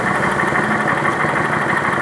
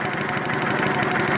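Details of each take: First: 2011 Kawasaki Vulcan 900 V-twin at idle after the pulley cover was removed: steady, even idle with a smooth, unbroken beat and no knocking, ticking or rattle; noise gone, normal idle. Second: 2011 Kawasaki Vulcan 900 V-twin at idle: sharp, even ticking about twelve times a second over the idle; loud knocking traced to a loose pulley, not the cam chain.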